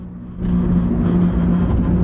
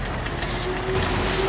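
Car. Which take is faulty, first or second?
first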